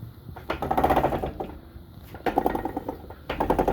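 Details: 1982 Suzuki GS850 shaft-drive motorcycle, hot day, in first gear: three clinking, clunking bursts about a second apart as the wheel turns after it suddenly clunked and stopped moving; rear wheel hub drive spline ground down, stripped.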